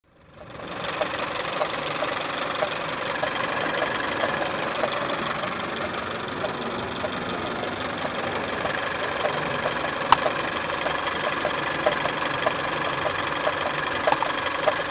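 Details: Toyota 5S-FE petrol engine idling with a faint, irregular ticking from the timing belt/water pump area; upper timing cover removed, source still not found, lower cover next; cause unconfirmed.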